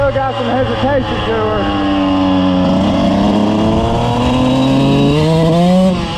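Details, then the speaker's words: 2000 Suzuki RM125 two-stroke after carb cleaning and tuning, riding easy in first and second: revs rise and sag unevenly at mid throttle, bogging; owner plans to downsize the jets rather than raise the needle; cause suspected. "ah but yeah she still got some hesitation to her um a mid throttle so right there uh I don't want to go up too much more on the needle so I'll probably downsize the Jets but you'll hear it I'll take off easy in first and second you'll you'll hear it kind of bogging out"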